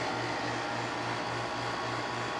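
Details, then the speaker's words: 1995 Carrier VisionAire window A/C after clean-out, about three and a half hours into test run: steady rushing fan with low even hum, no knocks or rattles, blowing cold; running normally. "so it's been running about three and a half hours so i'm gonna head downstairs and see if it pulled off him i suppose it works it's blowing cold"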